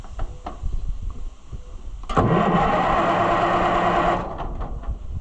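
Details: Oliver tractor (550 diesel) cranked by bypassing the push-button switch: about two seconds of strong, steady cranking at roughly three turns a second, no dragging or clicking. The starter works, so the fault is the push-button switch or its connection.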